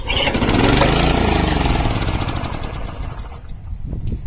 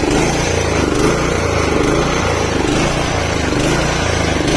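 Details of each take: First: 1987 Honda HR214 lawnmower, about 32 years old, cold start on full choke: catches and runs rough and loud a couple of seconds, then speed sags and it dies. First failure; fuel filter replaced, spark plug next. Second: Honda HR214 lawnmower, owned since 1987 (about 32–35 years), after carburetor cleaning of rust flakes in the jets plus new fuel filter: small single fires at a fast even beat with no misses or surging; healthy normal running.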